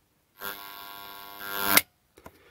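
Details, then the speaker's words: AC-powered No Volt Relay (workshop on-off switch) buzzing harshly when stop button is pressed gently after start, partly lifting the armature off the magnet core; buzz swells, cuts off, two small clicks. "when I press the start button and I very gently press the stop button did you hear that buzzing"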